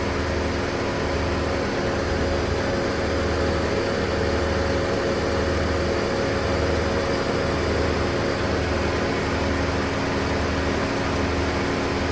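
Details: Car at idle with AC on, windows closed, during DIY recharge after leak fixed on empty system, hot day (28–35°): steady hum, blower rushing evenly, faint regular compressor cycling; AC running normally.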